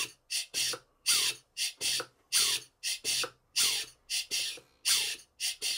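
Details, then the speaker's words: Horizontal Southworth 12-inch boiler feed pump run on compressed air, pumping only air with outlet valve closed, compressing air into the valve chamber top: rhythmic paired sharp puffs about 48 a minute, clean gaps, no knock, running fine. "All it's pumping at the moment is air that's in the system. The valve is closed as well, so it's compressing air into the top part of the valve chamber."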